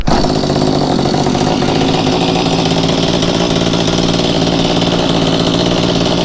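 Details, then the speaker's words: Mantis two-stroke tiller with a new replacement carburetor, on choke: fast, slightly blubbery but steady running with lots of muffler smoke; running too rich before carb adjustment. "as you can tell it probably was meant to run in the highlands of colorado based on how much smoke came out of that muffler but it is running"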